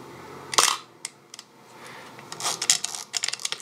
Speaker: Let's demonstrate that on a medium format camera with a focal plane shutter, and you hear what I mean. Just the sound of that is so much louder